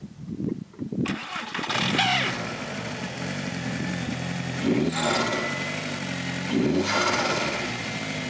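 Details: 2002 VW Jetta 1.8T turbo before diverter valve replacement: cranks and catches, then settles into an uneven idle with wavering speed and periodic surges. Loss of power, stalling, EPC light; owner suspected diverter valve, stalling later fixed by crank sensor.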